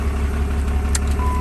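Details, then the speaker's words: Diesel truck first start after Industrial Injection dual CP3 install with Fleece distribution block, antifreeze refilled; starts right up into a deep, steady, even rumble with no knocks or misses: normal healthy idle. "let's start it up see how she runs starts right up right up there's that dual cp3 perfect amazing awesome job industrial injection"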